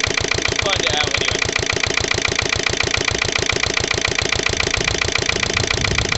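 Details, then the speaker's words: Lister LD1 single-cylinder diesel on a chilly 5–6° morning after a fuel filter change: hard clattering beat near three and a half per second, labouring unevenly under load as if to stall. Rough running; owner suspects a fuel-line air lock or the pump. "I should think is probably just a um probably just an air loock in a fuel line or something bit cring or maybe same with the pump"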